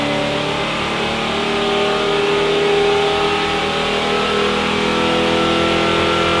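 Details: 1974 Pontiac Firebird V8 with carburetor on a dynamometer test at full throttle, held at high revs under load; uneven stumble and dropouts break the steady roar, a misfire under load.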